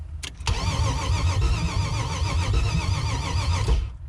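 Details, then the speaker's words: LS-swapped Chevrolet S10 before its first start, computer hooked up, fuel pump disconnected: steady three-second starter crank with no firing, just spinning the engine over to prime the oil system; normal cranking. "so i just want to go ahead and and basically prime the oil system real quick"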